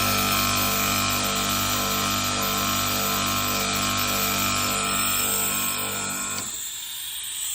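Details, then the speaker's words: 8–10-year-old 2 HP AC outdoor unit, taken down, fan disconnected, compressor running. Loud steady hum with a hard, regular rattle; compressor rubber mounts completely worn, and the noise worsens when charged with gas and cooling. "तो ये शोर आपने सुन लिया है कि किस किस्म का शोर आ रहा था, बुरी आवाज़ थी। जब इसमें गैस होगी तो ये ज़्यादा शोर करता है"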